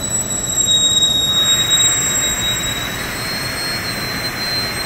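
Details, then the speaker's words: 5,000 L processing vessel: steady shrill metallic squeal over a hissing grind, metal grinding somewhere inside; technicians called to fix it. "and we have a problem here a processing problem listen to that noise listen to that noise we're grinding we're grinding we're grinding air metal"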